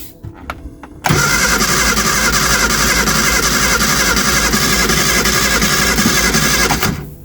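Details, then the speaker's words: Early-2000s Reliant Eddie Stobart Supervan, choke pushed in: starter cranks steadily about six seconds, even churning rhythm, never fires; had spark earlier, now none; distributor cap to be inspected, cause unconfirmed. "I'm gonna do a little bit of Investigation into this and obviously see if we can find out what's happened because we did have spark and now we haven't"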